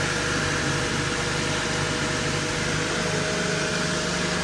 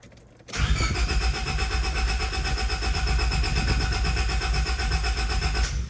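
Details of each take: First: 1999 Honda Civic, manual, just after fuel filter replacement and before a test drive: steady, even idle with a smooth low hum, no knocks or misses. Healthy engine. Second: 1999 Honda Civic after a fuel filter change: even starter cranking at about four beats a second for five seconds without catching; crank no-start from fuel starvation.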